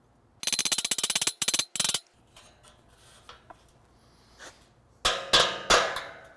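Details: 1964 Ford Falcon aluminum grille being straightened with body and trim hammers: a quick run of sharp taps, then louder, duller blows that ring differently, metal not seating right under the hammer; suspected, not confirmed.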